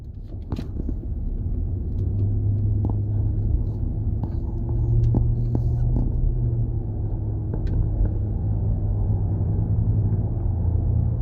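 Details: Nissan Patrol Y62 driving: a steady low humming drone under the cabin road noise from a worn rear wheel hub bearing, fixed by replacing the rear hub bearing.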